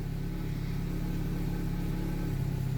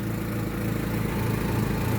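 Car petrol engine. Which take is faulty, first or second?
second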